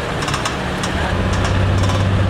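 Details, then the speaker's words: 2005 Infiniti G35 front suspension: irregular light clicks and knocks over low engine rumble over curbs, speed bumps and when turning; worn ball joint found with washers fitted under it; ball joint replaced. "for the longest the front suspension creaked and it makes clicks and if you guys are unfamiliar with that sound here's a few little clips of that sound"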